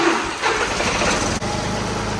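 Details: Small diesel feeding tractor that had been running a while and then shutting off, traced to a connector wire with bare spots; voltage returned after wiggling it and lines were reconnected: catches quickly and settles into a steady, even run. Normal start.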